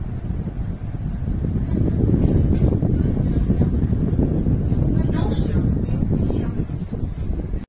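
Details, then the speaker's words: Gree wall-mounted AC indoor unit over 10 years old, loud humming noise starting about 5 minutes after switch-on: low, uneven rumbling hum; likely not motor bearing wear but a deformed fan-motor damping bracket letting the motor touch the casing. "现在呢已经开始响了，就这个声音，挺烦人的。听这个声音呢，应该不像是电机自身轴承这个老化的声音，应该是这个电机的减震支架变形，这个电机碰到这个外壳产生的噪音。"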